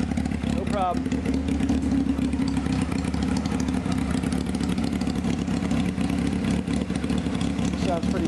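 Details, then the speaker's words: 1995 Honda CBR F3 just revived with new plugs and oil and bottle-fed carbs, with small carburetor leaks and no lights: a crisp four-cylinder idle through an open pipe with clean blips. Still idling strong, taking gas. "Anyway, it's still idling, man. Taking that gas."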